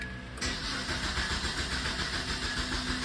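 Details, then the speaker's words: Car restarted after a failed Xtool D7 scan-tool diagnosis attempt while chasing a suspected small vacuum leak: starter spins the engine with a steady, uneven churn but it never catches; crank no start, which the owner blames on the tool. "And there it is, crank no start."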